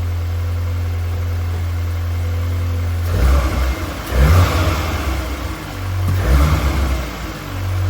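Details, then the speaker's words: MK8 VW Golf R just after a Racingline R600 Evo intake and turbo inlet install, started with no fault codes: a smooth idle and three clean throttle blips with no rattle or hiss; normal revving. "All right, so we got it fired up and there's no codes, which is always a good thing."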